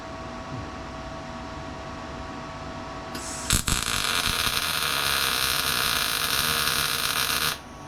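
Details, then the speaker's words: MIG welding Hellwig Frame FX kit plates onto a 1970 Chevelle frame: steady, even crackling hiss after the arc strikes, no popping or sputtering; welder at a good setting, weld possibly held slightly long at the end. "Sounds alright. Guess I can't blame the welder, I gotta blame myself. It sounds like it's at a good setting."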